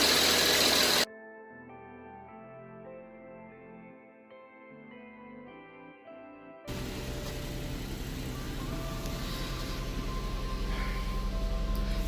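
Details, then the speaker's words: 2008 Ford Edge 3.5L V6, 122k miles, idling after work on the cylinder 3 injector for a lean condition and a flashing check engine light. Smooth, even idle with a steady low hum, no stumble or shake. The engine runs well with no injector symptoms. "I am not seeing any symptoms of a bad injector happening the car is not shaking it's running well"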